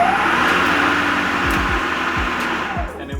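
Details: Working Greenworks Pro 60V battery electric lawn mower: steady electric whir with a clear hum, no clicking, grinding or stutter; motor runs normally.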